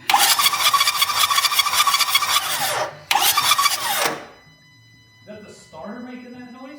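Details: Ford Powerstroke diesel truck (6.0 or 6.4), not running to operating temperature, possibly air escaping at glow plugs; harsh rasping churn about three times a second while cranking, pauses, cranks again, never fires. Crank no-start, cause unclear.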